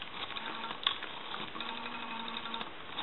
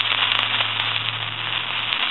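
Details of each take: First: Brass elephant rotary telephone after dial was cleaned, adjusted, oiled and its mounting tightened: steady light whirring tick as dial spins back, even speed, no drag or hesitation. Normal rotary dial return. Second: Elephant brass telephone, old-style T1 carbon transmitter, handset checked after other repairs: constant harsh crackling hiss over a faint line hum after dialing; static from the aging transmitter, which is to be replaced.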